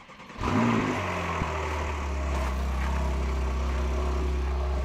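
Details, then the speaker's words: Porsche 911 Carrera S (991.2) cold start, aircon and heating off: loud, steady, deep gurgling high idle with no misses or knocks; revs should drop within 30-60 seconds. Normal. "Your aircon or your heating is off, and you will hear, like right now, this is loud. This has got that proper gurgle. Yeah. And in about anywhere 30 to 60 seconds, those revs will drop."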